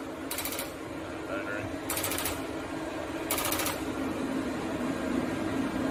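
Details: CFMoto CForce ATV after throttle set screw readjusted and locked with hot glue so it won't back out; steady low idle with light clicks about every 1.5 seconds, holding even speed; normal stable idle.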